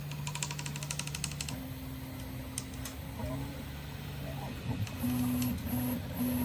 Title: Prusa i3MK3S+ Creaking Sound on right side of horizontal axis only.